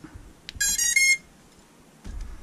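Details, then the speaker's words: Drone with F7 flight controller plugged into battery: quick run of high rising ESC beeps at power-up, then pause and quiet; normal, F7 boards can be slow to finish startup tones. "don't be frightened if you plug it in you only hear the first beeps that's how some f7 flight controllers are they take longer"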